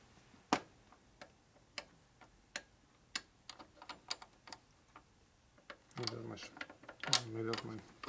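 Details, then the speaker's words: Harley 45 WL flathead transmission during a rebuild, mainshaft just replaced, turned by hand before shimming: slow, irregular clicks and ticks, then a scraping drag; lots of drag, all bound up, cause unknown. "Hear it? Mm-hmm. It's all bound up."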